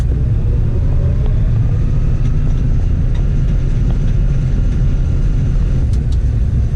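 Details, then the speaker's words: John Deere 9510 straw-walker combine after grain tank auger reassembly, separator engaged: steady deep rumble with signature walker rattle and faint scattered ticks, a squeak likely from the straw chopper; even, healthy, no grinding. "Got the signature rattle of a straw walker machine, but I think things are doing what they're supposed to."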